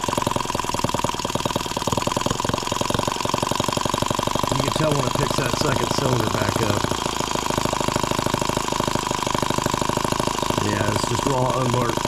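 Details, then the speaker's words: Microcosm H76 small twin model engine on first start, throttle cracked open from idle; fast uneven popping with the beat stumbling: misfire, spark plug pulled and found fouled and wet with fuel. "out of here not making any difference there's that noise again let's pull that plug out of there we'll see what's going on"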